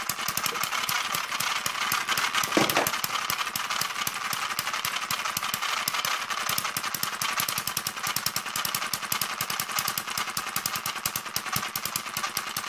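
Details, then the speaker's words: Newly built Kerzel hit-and-miss model engine, still running in: fast steady mechanical clatter over the running engine; new gears still tight and noisy until they wear in, governor and exhaust mechanism stiff. "The gears are quite tight as well, so they're a bit noisy until it starts to run in."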